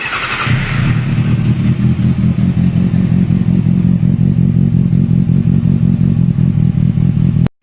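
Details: 2007 Kawasaki Ninja ZX6R after new spark plugs, previously running on three cylinders and losing power: starts promptly, smooth even steady rumble, no misfire or stumble; normal running.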